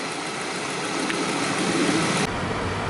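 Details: 2007 Saab 9-3 just restarted with a new battery after a no-crank dead battery, alternator charging 14.3 V, about 90°F, high humidity: smooth, even idle under steady background hiss with no stumbling, knocking or misfire; engine running normally.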